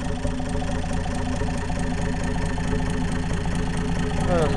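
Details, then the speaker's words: Undertiller engine with new open exhaust stack, no muffler, lifters not yet adjusted: loud open-pipe idle with choppy low pulses and light ticking on top, consistent with unadjusted lifters. "okay there she is that's not too bad still ain't got the lifters adjusted yet"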